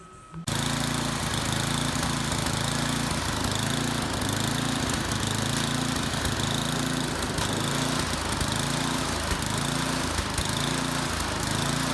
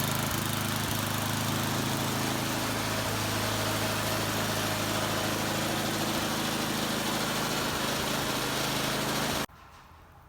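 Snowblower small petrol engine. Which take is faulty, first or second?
first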